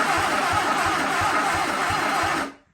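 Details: Sunbeam Alpine engine, spark at coil but not at new plugs, swapped to old Edelbrock coil pack, on starting fluid: even cranking about three turns per second, no firing; crank no start.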